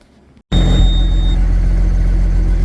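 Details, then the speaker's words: Case STX375 articulated tractor diesel catches and settles into a steady, even low idle with no knocks, misses or hunting. This is after a no-fuel fault with a broken fuel actuator; there is no throttle yet, and the engine code is now inactive. "well she's running don't have any throttle it looks like my engine fault's gone away so our code is inactive"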